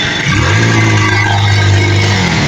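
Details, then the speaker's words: Kawasaki Rouser 180 with 28 NB carburettor, hard starting: throttle opened but engine holds a flat heavy drone and won't rev, dies when revved; restricted carburettor intake causing bogging. "So hirap si paandarin lalo na pag ginagasan. So pagka umandar hagok yan."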